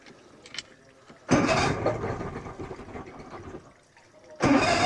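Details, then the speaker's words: 1986 Mercury 90hp outboard after water pump replacement, running with exhaust submerged in a tub of water: muffled, much quieter churning, steady even run, no knocks; pump picks up water on its own, strong stream. Normal running. "That is so much quieter. Holy smokes. Pick up some water. There it goes. All right, folks, there it is. Running."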